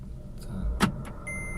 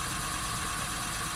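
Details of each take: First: VW Polo Sedan on factory Kama tyres, cabin microphone, driving in 5th gear at 60 km/h with a front wheel lifted: steady low drone inside the car, the hum of a worn right front wheel bearing (SKF VKBA 3569 replacement). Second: Polo Sedan, idling, microphone inside the cabin; the left front wheel raised and spinning evenly, with no bearing hum or drone. The right front wheel bearing hummed and needs replacing; the left bearing is normal.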